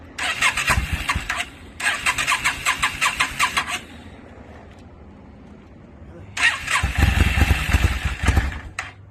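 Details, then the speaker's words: 2002 Yamaha V-Star 650, newly acquired and started cold on choke: two bursts of starter cranking without catching, then a ragged, uneven stumble on the third try; flames seen at the exhaust, owner suspects too much gas. Hard starting. "Pretty sure I got the flame shooting at the back too. Oh, we got flames? Yeah. Too much gas."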